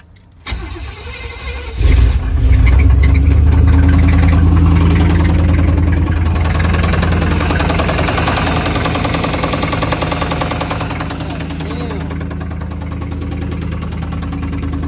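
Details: Barn-find 1991 Chevrolet Caprice with Chevy 350 V8: cranks, catches and settles into a rough idle with a steady rhythmic knock; owner suspects a spun bearing or an old water pump pulley, not confirmed.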